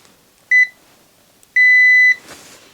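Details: Yamaha DVD-E700 DVD receiver power supply fuse continuity test: two clean high beeps, one short then longer steady; fuse intact.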